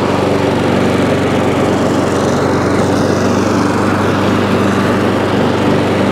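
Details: ATCO lawnmower single-cylinder engine after deck crack repair and recoil work: steady even buzz at constant speed, no misses or knocks; runs normally, though engine stops when drive released, worn or rusty cable suspected.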